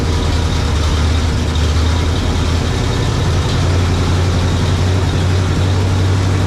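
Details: 1967 GMC 910 Custom truck, new exhaust and muffler, leaking valve cover fixed, cold winter start after battery boost, possibly first start with the new exhaust: deep, steady idle with even low rumble, no knocks or misses; healthy.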